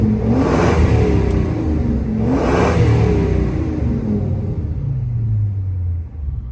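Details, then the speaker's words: 2000 Ford Excursion 6.8L V10 after replacing both exhaust manifolds: two clean revs settle to an even idle, with no ticking or puffing from the manifolds. It runs great, though it is still running rich for an unknown cause. "No more noises. Runs great. Now I just got to figure out why it's running rich."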